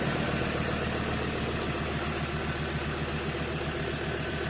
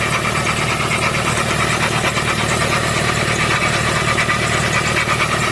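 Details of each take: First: 2015 Ford Transit 3.2 diesel after loud rough idle fixed by replacing drive belt idler pulley: steady even low clatter at idle, about three to four beats a second; normal idle. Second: 2015 Ford Transit 3.2 diesel idling: loud clattery rough, uneven idle with a busy rattle; failing drive belt idler pulley, fixed by replacing it.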